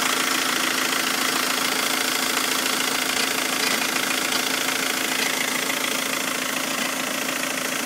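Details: 2006 VW Jetta TDI, BRM 1.9L diesel, at idle: steady idle with a regular knock about three times a second from underneath the car; source of the clunk unclear.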